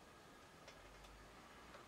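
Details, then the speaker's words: BSR P128 turntable deck in an Alba music centre: faint light ticks, about two a second, as the idler turns; nothing catching under the mechanism; owner suspects a worn idler needing cleaning or replacement. "See if anything's catching the underside of the mechanism. No. It ain't. So. Yeah, so you can hear the idler."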